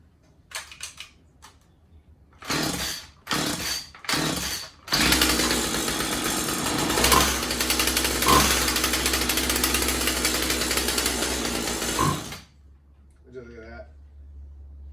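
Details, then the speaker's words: Husqvarna 36 Special chainsaw after new fuel lines and filter, started with a little throttle straight off choke. Revs roughly about seven seconds then dies; carburetor needs adjusting, to be reset to factory settings. "Yeah, so what's happening now is the carb needs to be adjusted."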